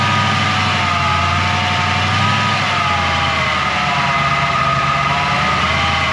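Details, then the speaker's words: 1940 Mercury hot rod sedan idling with vacuum advance unplugged during timing setup: a steady high whine over a smooth idle, barely changing with revs. The new one-wire alternator didn't cure it, so the owner suspects the throw-out bearing or transmission. "that wine i don't know what that wine is must be the throat bearing is whining because i thought it was the alternator it's not it's got to be that throw out bearing or something whining in the transmission"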